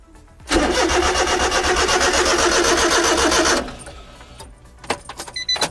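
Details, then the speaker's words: Honda Beat that won't start, cranked with ignition timing set to full advance after a fuel pump prime: steady starter churning at about four compression pulses a second, never catching; cranks but no start, and fuel filter replacement is planned. "If it's not going to start off of that, it's not going to start."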